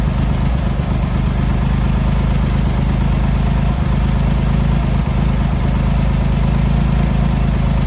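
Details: Triumph Hurricane X75, rebuilt carbs just refitted, choke on, pilot screws thought set about 7/8 out, left-hand carb later found misadjusted: loud, fast, low-pitched choked idle with occasional stumbles and missed beats; carb tuning suspected needed; uneven idle.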